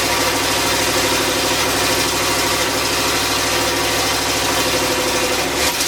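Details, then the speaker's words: LS turbo V8 in a Miata kart, first run after a new intake pipe and MAP sensor rewiring, no proper injectors yet: big engine idles steadily with busy mechanical chatter over exhaust drone, throttle blips. Throttle response still uneven, attributed to the tune. "the throttle is still not a hundred percent again that's something with a tune so we're gonna be working on that"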